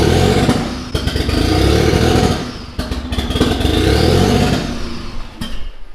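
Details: Mitsubishi 3000GT VR4 twin-turbo 6G72 V6, new engine first start: catches, runs lumpy with rising and sagging revs, then dies; won't keep idling; owner says timing way out, suspects something unplugged, not firing on all cylinders.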